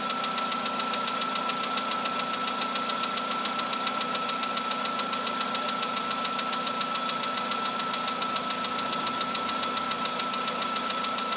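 Steady idle with a light, fairly regular knock about 86 times a minute over a constant high hiss, consistent with piston slap.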